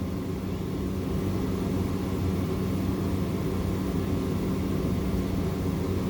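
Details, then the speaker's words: Large AC unit, estimated one to two ton, bare wiring, line-voltage thermostat: steady even hum, low drone and fan rush, no rattles or surging; still working, roughly 20-some thousand BTU of cooling, 21-degree temperature split. "I mean I can actually hear Refrigeration I can hear it cooling but it's just trashed I mean surprisingly this thing's still working putting out approximately 20 something thousand BTUs of cooling"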